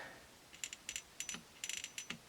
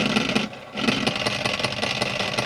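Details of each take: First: 1951 Stromberg Carlson Velvet Action record changer after relubrication: light, crisp ticks in small clusters as the mechanism turns, the pawl normally clicking over its ramps that stop reverse rotation. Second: 1951 Stromberg Carlson Velvet Action record changer with a dented rubber idler wheel roughly filed to round it: uneven rumble and lumpy thump about every third of a second, slightly less lumpy than before; needs a new idler.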